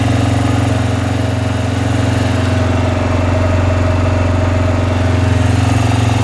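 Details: Suzuki Vinson ATV with a freshly rebuilt single-cylinder engine, not yet broken in, on first run after installation; steady, even thumping idle with no ticking or misses: normal idle.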